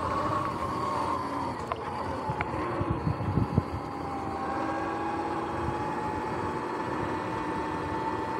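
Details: Sur-Ron X electric bike under way with motor whine. A patch of irregular clattering and slapping midway from the primary belt, which began making weird noises; cause not yet found.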